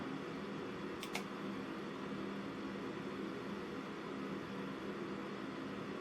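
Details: Newly installed Thermalright Assassin Spirit 120 V2 CPU cooler on Ryzen 3600X at first power-up, temperatures around 34–39°C; soft steady airy whoosh with no ticking, rattle or pitch wobble; normal fan running.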